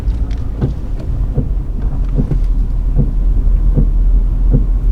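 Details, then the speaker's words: Nissan Stagea 260RS (RB26) turning at full steering lock: irregular low thumps about three a second over a dull drivetrain rumble from the passenger footwell area; owner suspects the left drive shaft. "when i go full lock in the car i hear a knocking and it goes which um points to a drive shaft"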